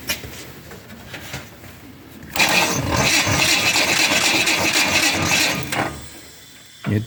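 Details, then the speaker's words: 1966 Pontiac Tempest, first start attempt in 20 years, fuel tank disconnected, carburetor full of fuel: laboured starter churns about three compressions a second without firing; slow cranking, owner suspects a dead battery. "turn the key on well in the little red lights are on and we'll see if it'll fire off sounds like my battery's dead good"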